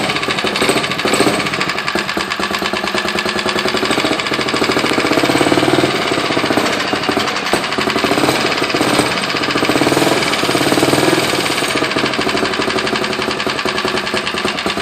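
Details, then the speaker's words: Motorized 29er bicycle with a small two-stroke engine, no internal mods, started cold with choke on, then given half throttle: fast, even buzzing crackle with a steady rhythm and no misses; it starts right up and runs cleanly. "Let's just give it like, you know, half throttle. Starts right up."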